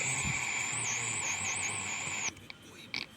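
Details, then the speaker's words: JBL Cinema SB400 subwoofer with the main unit switched on: a steady hiss with a wavering high whistle that stops abruptly when it is switched off. The amplifier makes noise; speaker or circuit still unconfirmed, cause not yet found. "इस्तेमाल main unit को on करते के साथ ही इसके अंदर यह वापस से वैसी साउंड आ गई आप सुन सकते हो"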